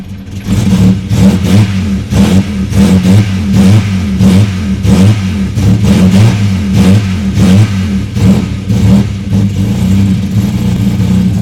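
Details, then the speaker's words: Ford EF XR6 with aftermarket chip tune, cold start, thermo fans on immediately, raw fuel from exhaust; repeated blips with revs rising and dropping unevenly under deep lumpy burble; running very rich. "from my understanding it smells pretty freaking rich right now anyway"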